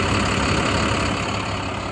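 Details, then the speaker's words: 2012 International PB105 short bus diesel that sat a couple of weeks and started right up without a jump, driven in 30 miles: steady, even diesel rumble with no knocks or misses; healthy normal idle. "but the bus sounds healthy runs drives operates as it should"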